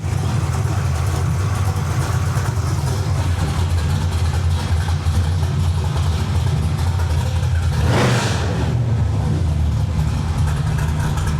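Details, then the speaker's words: Carbureted V8 with an Anderson B61 cam, limited-travel lifters and Terminator X data logging, during carb tuning: a steady burble with a brief rough stumble after the adjustment was pushed too far. Backing it off fixed it. "I don't know if you can hear it, but the car started to stumble. All right, you hear that? That's not good."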